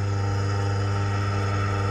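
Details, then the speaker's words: Car/bike washing pump's electric motor run with the fan belt removed, after knocking with the pump attached (pump bearing suspected): steady, even hum with a low drone, no knocking or grinding. Motor fully OK. "Motor पूरा सही है, कुछ तकलीफ नहीं है"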